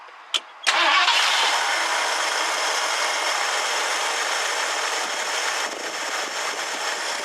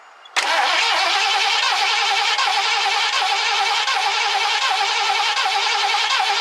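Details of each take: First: 1969 Ford Econoline van of unknown history: brief crank, catches at once and settles to an even, steady idle with no knocks or misses, good oil pressure. Normal start and idle. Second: 1969 Ford Econoline van, last run date unknown: fuel line disconnected at the engine and fed from a gas can, cranked to see whether the pump delivers fuel. The starter whirs steadily with an even chug of compression for several seconds but never catches; cranks, no start.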